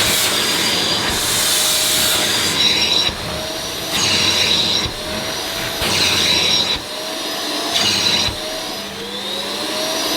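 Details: Ufesa Zelmer 4-in-1 vacuum's suction motor, wet pickup with the small concentrated head on rubber-backed carpet: roar rises and drops every second or two as the nozzle seals against the mat and the suction chokes.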